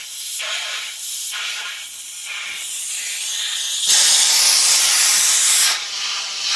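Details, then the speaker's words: Air compressor tank drain opened after moisture came out of the air nailer and water was heard inside: hard, sputtering hiss surging in uneven bursts as collected water blows out; water in compressor tank. "And he said I should drain my compressor. And I did notice after he said that, like, I probably should drain the compressor because I can actually hear the water inside of it."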